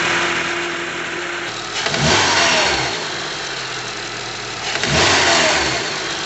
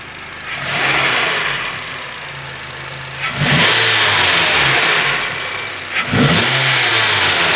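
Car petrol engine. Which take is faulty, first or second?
first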